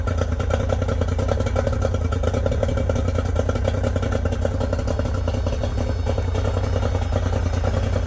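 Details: Yamaha 90hp three-cylinder two-stroke outboard on a 16ft bass boat, not run for months, carbs cleaned twice, plugs and coils swapped: lumpy, uneven idle with a firing gap because #2 cylinder won't fire; cause unconfirmed.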